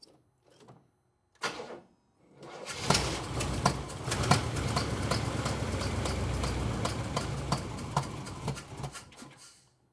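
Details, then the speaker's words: Engine with long-running backfiring, just fitted with a new distributor, checked with a timing light: catches and runs unevenly, surging and stumbling with irregular pops; timing still too far advanced, distributor being rotated. "okay still too far Advanced so that's what I was thinking see if we can turn it some more"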